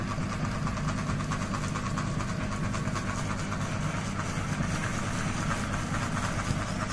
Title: Ceiling Fan Noise Rotation Wobble | Kipas Angin Gantung Bergoyang Berisik, #ceilingfan #kipasangin